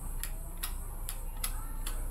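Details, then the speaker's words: Peugeot/Citroën/Renault AL4 automatic gearbox selector switch (Xantia), reverse lights not lighting: sharp light clicks, two or three per second, as the switch moves; contact tracks dirty and badly worn, so the reverse-light switch no longer actuates fully. "Quando passa aqui, ó, ele já tá gasto. Tá gasto aqui, ele não consegue acionar completamente aqui esse interruptor."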